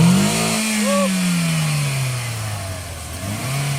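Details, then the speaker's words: 2010 Toyota Vios after collision repair with new radiator assembly and AC condenser, no check engine light: engine still cold, revved up smoothly then settling to a steady, slightly fast cold idle without misses or knocks; running normally. "kison na kison pa talaga yung engine niya malamig pa yung andar so try natin"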